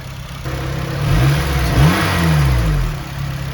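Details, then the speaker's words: Red Honda Civic Si FA5 (8th gen), 79,000 miles. Revved up and falling back, a light rattly ticking rides over the drone; valves sound loose and need adjusting. "he's a big time valve adjustment that's for sure"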